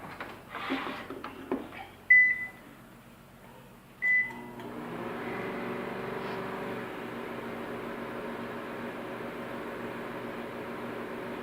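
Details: Microwave that crackled and popped inside, after repair, tested with cover open: two keypad beeps, then a steady even hum with no popping or crackling.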